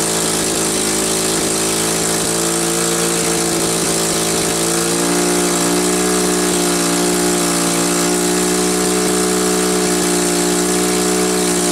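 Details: Cat D4C dozer's small engine after a cold start, having sat a year, settles into a steady idle, picks up speed slightly about halfway, and keeps running evenly without faltering.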